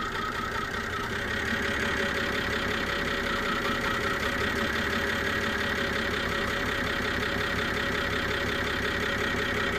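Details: BMW E92 325i after engine cleaner and oil change, NOx sensor replaced, OBD shows combustion misfire: steady idle with uneven stumbling beat and thin high screech under the bonnet, car vibrates; owner suspects an air leak, location unknown.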